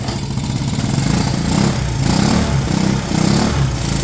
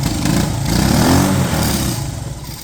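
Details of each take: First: 1970 Honda US90 three-wheeler barn find, sat about 15 years, first run after refueling, choke just turned off; small single settles into steady putter, no knocks, misses or smoke; normal idle. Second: 1970 Honda US90 three-wheeler barn find, sat about 15 years, first start attempts with choke: it catches and revs unevenly, surging and sagging, as it clears out; owner thinks it was just a little flooded.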